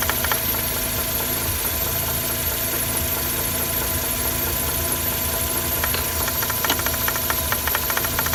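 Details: Mazda RX-8 engine bay at idle: a light, uneven tinny rattle at about two per second. It is caused by excessive play in the secondary shutter valve (SSV) actuator rod.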